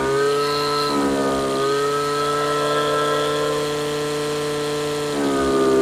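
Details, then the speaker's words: Stihl FS55 RC two-stroke string trimmer at wide-open throttle, carburetor high-speed screw richened until it four-strokes: high steady scream drops to a lower burbling note then climbs back; rich four-stroking, to be leaned just past this point. "This is a 2-stroke machine, but four-stroking is when it's so rich that it basically fires twice per cycle or per revolution."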